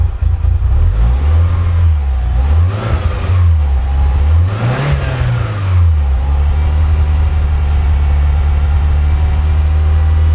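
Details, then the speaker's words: Mitsubishi EVO at first startup, idling around 900 rpm, oil temp 54, water temp 70. Revs up high on the blips, then hangs and sinks back slowly before settling: slow return to idle, idle problem, no check engine light. "Up quite high, then it drops back down. So there seems to be a problem with the idle."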